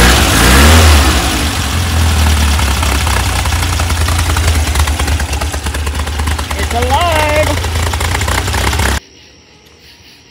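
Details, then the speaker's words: VW double cab (bus) air-cooled engine after an engine fire, restarting after rewiring the melted distributor wire and keeper and refitting points; cranks, catches, runs an even idle about four beats a second with no misses, then shuts off; belt needs tightening; normal idle. "gotta tighten that belt but it definitely provided the electronic ignition as soon as I got the points in there it started right up"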